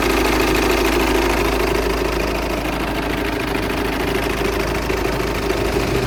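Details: VW Passat 2.0 TDI diesel at idle: fast, steady tick-knock about three per second from the engine bay, strange noise with cause not pinned down.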